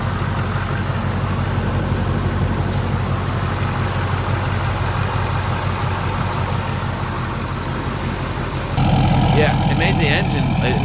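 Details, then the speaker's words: 2011 Ford F-350, 6.7 Powerstroke diesel, idling after new intercooler piping install: even, deep rumble, much louder than before, said to sound like a 6.0. No misses or knocks, a healthy normal idle. "the engine sound like way louder it's like it sounds like a 6-0 under that"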